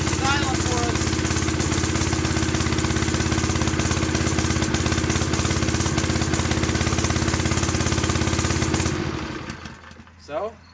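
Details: Custom mini bike with a swapped Honda clone small single-cylinder engine: settles into a steady, even putter at idle with no knocks or misses, then shuts off cleanly. Normal, healthy idle.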